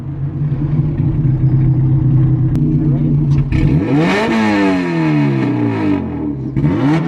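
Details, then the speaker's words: Car with a newly fitted distributor, on fresh E85, now drives. Steady idle, then revs climb, drop away suddenly and climb again as it cuts out under throttle; the fault persists, and dirty fuel system or injectors are suspected. "RPMs like cutting out like I mean it drives now yeah it looked like it was driving what I think whatever the [ __ ] the issue is that we're trying to find is still there somehow"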